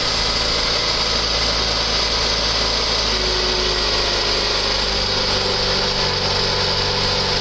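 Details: 1.9 engine first start after dropped valve seat repair, new timing belt, lifters, rockers and Autolite plugs: steady, even running with a high-pitched hiss over the top; no lifter tapping, lifters pumped up during cranking.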